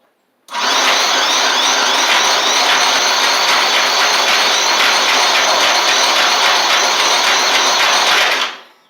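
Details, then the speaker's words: Murray 24-inch riding mower with Briggs engine, water in the fuel and rust in the engine: about eight seconds of steady starter whirring that never catches; owner suspects flooding and rust needing to flush out. "it acts like it wants to but it won't will not go it acts like it wants to try I think there's just a lot of rust in the system and it's got to flush itself out"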